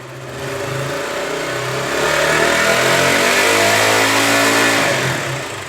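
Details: KTM Duke single with a Low Battery fault, revved during charging tests: rises smoothly to about 5,000 rpm, holds even, eases back; no misses or rattles, healthy.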